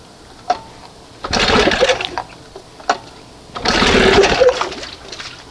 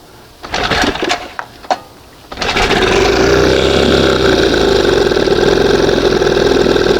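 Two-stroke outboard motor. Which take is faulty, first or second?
first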